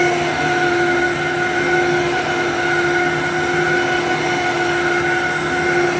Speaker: So, this one's at least this one has a little bit of bearing noise, but this one has good headlight wiring.